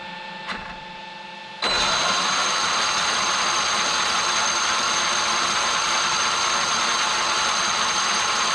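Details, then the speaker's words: Traxxas X-Maxx RC truck after cush drive repair (previously chewing spur and pinion gears), test spin: brief quiet then a steady even high whine holding pitch without surging, unlike the high-low surging before repair; drivetrain healthy. "you can hear how it's real consistent now it's not going high low high low high low like the last video yeah that's way better guys way better"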